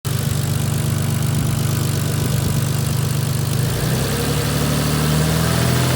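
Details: Toyota 2JZ-GTE engine with spun bearing shell: hard rhythmic knock at idle near three per second, following revs when blipped; rod knock.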